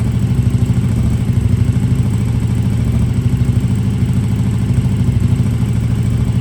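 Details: KTM RC8R with a swapped 2020+ third-gen 1290 Super Duke engine and electronics, first start after the swap: steady low rumble, even unbroken firing, no knocks or rattles; normal clean idle.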